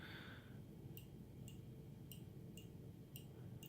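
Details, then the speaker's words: Trunk latch micro switch on a 2000 VW Jetta mk4, latch opened on the bench while a missing spring was suspected: six crisp, light clicks about every half second; the switch that signals a closed trunk is working normally. "Now here is the micro switch, which tells the car that the trunk is latched and closed."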